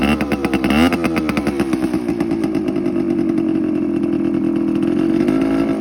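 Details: TC125 two-stroke dirt bike after carb clean, new fuel line with filter and spark plug swap; crisp buzz rises and falls cleanly with the throttle, then settles to a steady idle; runs healthy.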